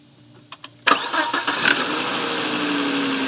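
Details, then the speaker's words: Volvo after repairing the seizing, screeching A/C compressor: two faint clicks, then the engine catches almost instantly with no dragging and settles into a smooth steady idle. "So you're good there, and the car starts up crisply now. It doesn't drag anymore."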